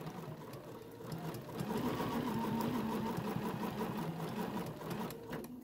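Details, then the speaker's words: Bernina sewing machine free-motion stitching a placemat with the BERNINA Stitch Regulator engaged: quick, even stitching chatter that speeds up and slows down with hand movement; normal operation. "if i go faster it's going to stitch faster if i go slower it's going to stitch slower"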